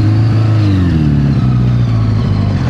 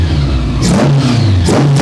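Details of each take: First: 1982 Honda Goldwing GL1100 rebuilt from barn-find parts onto parts-bike frame, just started after stuck clutch freed; low engine drone wanders and dips unevenly instead of holding steady. Rough running, cause not yet known. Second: 1982 Honda Goldwing GL1100 barn find rebuilt onto a parts-bike frame, running after an arcing spark plug wire was replaced with one from the other bike: steady, even idle with throttle blips and no miss; warming up and radiator fan kicks on.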